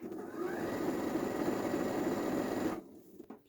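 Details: Janome 2030QDC computerized sewing machine after lubrication. Smooth, even hum with a steady stitch rhythm of about four per second and no knocking or grinding, then it stops; the machine runs sweetly.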